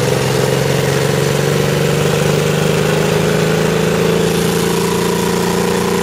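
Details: Alvis CVR(T) Striker FV102 Swingfire tank engine misfiring badly at idle in Aug 2010, uneven lumpy drone with dropped beats; cause was a stuck valve, later fixed by fitting a new spare engine.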